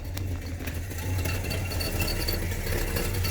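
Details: 1980 GMC truck V8 idling about 458 RPM, a bit low: slow, lumpy idle that sags and stumbles unevenly, a misfire blamed on fouled plugs and corroded distributor cap.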